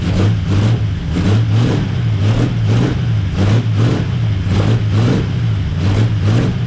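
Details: 1939 Buick coupe with 248 straight-six, after a new coil and points check, weak battery: first start, steady even pulse with deep low thrum, no knocks or misses, running healthy.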